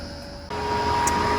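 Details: AO Smith Cyclone 300,000 BTU gas commercial water heater in a restaurant, fired up after gas pressure testing for ignition/flame failure: blower steps into steady roar with two clean tones; burner lit and firing normally.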